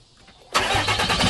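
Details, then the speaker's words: 2012 6.7L Cummins diesel, first start after grid heater delete intake plenum and intake horn install, batteries reconnected: quiet, then catches in about half a second into a firm, steady clatter with no misses; normal start and idle. "right, you guys. Sounds pretty good. Sounds good."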